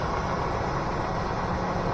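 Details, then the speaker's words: Junkyard 2003 Chevrolet Tahoe 4.8 LS V8 with 215K miles, idling: a steady, even low rumble with no lifter tick or tapping from the top end, so the engine sounds healthy. "I have my power on my dash. Nice and quiet too. No lifter tick."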